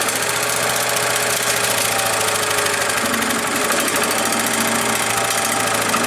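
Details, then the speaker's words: Earthquake chipper/shredder, small engine, after sharpening the blades: engine runs steady under load with rough rattling as branches feed through; grinding normally on light branches, less well on rock-hard ones. "you can see it grinding stuff up pretty good sharpening those blades seem to help a little bit"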